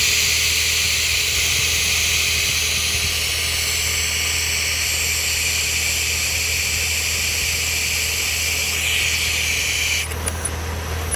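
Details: Engine with an Edelbrock part: a loud, steady hiss over a low idle drone, air being sucked in through a vacuum leak.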